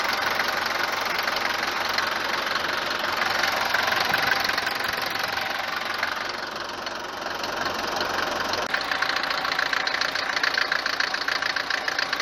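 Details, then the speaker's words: Mercedes 190 diesel (W124-type) on morning start, no oil loss; harsh rapid rattling knock about three per second over rough idle, louder than usual Mercedes diesel noise; several causes suspected, not confirmed. "كون الصوت هذايا هو موجود في أغلبية سيارات المرسيدس، في أغلبية محركات الديزل المرسيدس، لكن مش بالطريقة هذه، بالقوة هذه أو بالدرجة بتاع الصوت العالية هذه."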